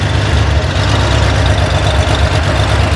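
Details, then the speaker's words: Corvair engine on a run stand, adjusting a hydraulic lifter valve quickly toward 3/4 turn past zero lash: low, uneven idle with stumbles. The valve is held open before the lifter bleeds down, losing compression. It recovers once the lifter bleeds down. "And that's because the valve isn't closing all the way, so it's not getting full compression."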